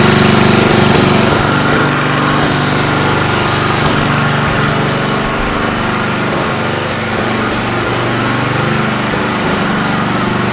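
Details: Small engine running on a homemade tri-fuel conversion kit; fast, uneven buzzing with a hunting, ragged note under load, as if fuel-starved: rough running. Owner suspects the hose's tiny inner diameter restricts flow; unconfirmed.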